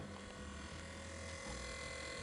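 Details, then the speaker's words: BMW rear air suspension compressor, after replacing faulty compressor with new aftermarket unit, reconnecting air lines and wiring, and reinstalling its fuse: quiet steady electric hum, no knocking or straining; running normally. "Now we need to reinstall the compressor fuse. It is 4A. As soon as we installed it, the compressor started running."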